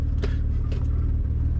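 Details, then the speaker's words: Supercharged Mercedes AMG that had sat for a long time, first start on a jump box: put in Drive, a deep steady rumble with a shuddering beat and dull thumps, absent in neutral; driveline fault suspected, a part fell off. "I put it in Drive it's all shaking it's not like I heard of elephants just walk by that sounds really bad"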